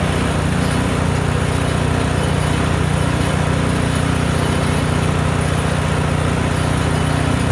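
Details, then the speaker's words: Craftsman snowblower, single-cylinder engine, run forward, reverse and with auger on and off: steady even putter at constant speed under load, no misses; running normally. "I'm going to show you a little run up of it going forward, backwards, and the auger on and off."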